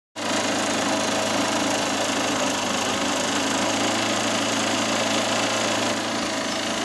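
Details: Honda CB Shine motorcycle: a steady single-cylinder run with a fast, rough ticking knock over the exhaust. Engine knocking noise, suspected block or piston noise, not confirmed.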